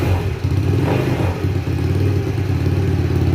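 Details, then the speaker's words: 50cc GY6 scooter (mini sport bike) just after a new part was installed, carburetor not yet cleaned and dirty: uneven, surging putter that hesitates between throttle blips while cold. Rough cold running, hard starting and idling attributed to the dirty carb. "now as you can see the carb takes a minute to really warm up and get going here though kind of frustrating"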